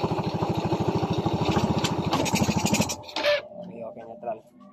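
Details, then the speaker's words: Honda XRM 110 with an electrical problem, fairings removed, spark plug already replaced and carburetor cleaned at other shops: steady single-cylinder idle thumps that die about three seconds in when the gear pedal is pressed; still stalls on shifting into gear. "na nga guys, namatay talaga ang kanyang motor, no? Kapag inapakan ni Bossing ang kanyang chain pedal."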